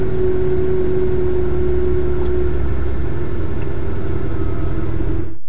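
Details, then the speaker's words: Allison 1000 five-speed automatic transmission (circa 1999), at idle, more apparent on gas engines: constant mid-pitched hum over idle rumble from the internal oil pump moving over 12 quarts of fluid; normal, sound enhanced. "this hum is merely the sound of the internal oil pump doing its job there are over 12 quarts of fluid to push around in there so it's entirely possible the sound of that pump doing its job may get transferred outside the transmission"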